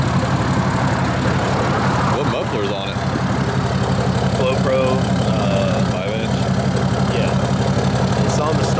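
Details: Diesel truck with a deleted 6.7 and a Flo Pro muffler on a five-inch exhaust all the way back, idling: deep, steady, even rumble with a loud open exhaust note and no knocks or misses; healthy idle.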